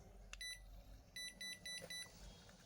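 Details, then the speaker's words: Toshiba rice cooker converted from 100V to 220V, after a blown fuse, with a 5.8V supply: short high-pitched beeps in quick bursts of about four repeat with the pot lifted; continuous error beeping. Owner suspects a voltage fault. "Nếu mà nó không có hiện tượng tít tít tít nữa là là đã ok nhá. Ồ, vẫn đang lỗi ở đâu"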